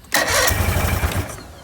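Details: Bass boat outboard motor, first start attempt without cooling water after a failed pressure test: a sharp catch, then weak, uneven putters that die away. The head was later pulled, revealing a destroyed number 4 piston.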